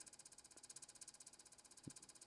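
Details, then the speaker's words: Xbox One console with a faulty fan, before fan replacement: quiet fan with a rapid even pulsing hiss and a rough flutter; fan sounds worn and noisy. "But the fan still sounds like crap."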